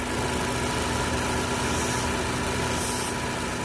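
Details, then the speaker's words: 2014 Ford Focus, about 150,000 miles, check engine light, bucking/jerking, lean condition: purge valve hose disconnected at idle, faint constant hiss of air sucked through the leaking purge valve; confirmed vacuum leak at purge valve. "Alright, you can probably hear that hissing. That's leaking purge valve. That's 100% the issue."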